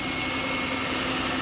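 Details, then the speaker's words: 2007 Lincoln Town Car Signature Limited V8 idling with hood up: even, quiet soft hum, no knocks or ticks; runs smooth and healthy. "you can see, running very smoothly and quietly."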